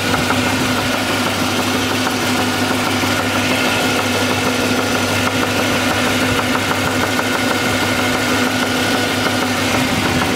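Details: SS (per title) idling, heard from underneath, accessory belt off: uneven knocking roughly three a second over a steady idle; deep knock judged a connecting rod.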